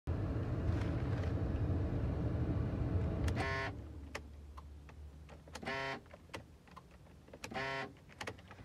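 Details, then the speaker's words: Whirring noise after ignition off: short buzzing whirs repeat about every two seconds in the quiet car after the engine shuts off, like a small motor straining; likely a faulty door lock actuator with broken plastic gears, not confirmed. "Guys, naririnig nyo po ba yun? Yung ingay every time na tineturn off ko yung ignition key. May nag-iingay po."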